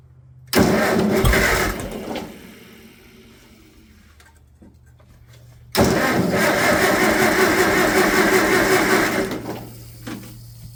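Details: Farmall 400 tractor that runs only on choke, about 19°F, after plug replacement: two start attempts each catching briefly with loud burst then fading; hard starting, won't stay running, cause suspected, not confirmed.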